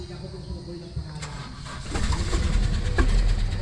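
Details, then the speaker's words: Toyota Revo diesel that cranked without starting and showed no check-engine light, traced to the ECU/fuel/starter relay area: outdoors, cranks briefly and fires midway into a low, steady rumble, idle then dropping low. Normal start. "Yun guys, maandar na siya. Ayun Ayun at bumaba na ang minor niya, mababa na ang minor niya."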